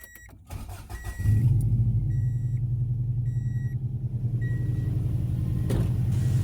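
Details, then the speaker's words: 1994 Subaru Legacy Turbo wagon after installing a JDM TD05H 16G turbo, coil-over-plug conversion and 07 STI PCV upgrade, and fixing a harness issue. Starter whirrs, engine catches and settles into a steady, even low idle with chime beeps. Coolant not yet bled and idle relearn pending. Normal start and idle. "Running really good now. New turbos all in there."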